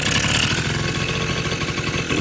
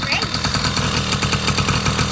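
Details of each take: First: 1980 Honda Express II two-stroke scooter after carburetor cleaning and fuel filter fitted: fast raspy buzzing that never settles, revs hanging high; runaway idle, owner suspects air leak or idle circuit problem, none found yet. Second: 1980 Honda Express II two-stroke scooter: quick, even popping idle holding steady without stumbling; starts right up, healthy idle.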